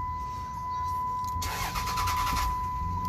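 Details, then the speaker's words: 2006 Dodge Ram 3500 5.9L diesel, crank/no-start with no ECM communication after new batteries and security issues: steady chime, then a second of cranking that nearly fires and dies, followed by fast clicking; suspected intermittent PCM power/ground/CAN connector. "See, it's almost started, and then it started doing that. Because if you listen now, it's that fast click, click, click, click, click, click, and I'm gonna have a no comm again."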